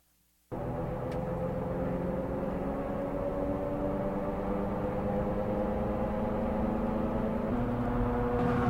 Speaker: that's a tire noise and boy I don't want to know how much money is spent